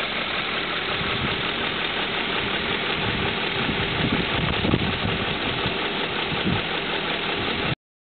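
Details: 2002 BMW M5 at steady idle with a light, irregular ticking under the engine note, roughly two to three ticks a second; cause not clear.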